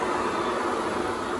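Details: 1978 Hoover Senior Exclusive U4058 upright vacuum after repair and restoration, lifted off the carpet: smooth, even whirr with steady pitch and no knocks or rattles; motor and brush roll running healthily.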